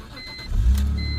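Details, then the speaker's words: Manual BMW E46 running very low on oil: a quick crank, then it catches at once and settles into a smooth, even low hum. A clean, healthy start with no problems. "Starts right up, no problems. Idle so smooth."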